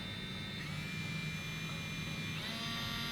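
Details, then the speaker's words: Generic USB cable-powered pen sander with no battery, claimed 15,000 rpm at speed 3: high, harsh buzzing whine that steps up in pitch partway through as speed changes; very loud motor. "This is just always driven by USBs. Now this sounds very loud also."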